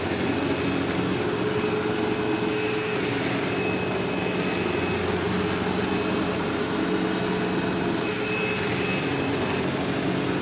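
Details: 15-year-old, heavily used Sebo Automatic X5 upright vacuuming a living room: constant rush with rough low buzz and faint wavering tone, occasional belt-slip-like squeal; brush roll area vibrating, belt had tension, owner wonders if it needs a belt; cause unconfirmed.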